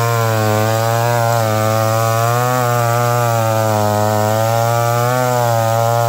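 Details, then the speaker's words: McCulloch Pro Mac 1010 chainsaw held flat out cutting wet wood with a dull chain, high jet barely open. The pitch sags and wavers every couple of seconds, bogging under load. Much better than before, not 100%. "well it ain't a hundred percent but it's much much better than it was but you can see that chain is getting dull"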